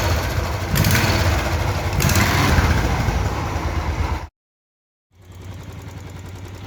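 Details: Engine after repair of a crankshaft sound problem with tappet noise noted: two quick revs, a brief cut, then a quieter, even idle with no knocking under the exhaust note. Now noticeably better than before; normal idle.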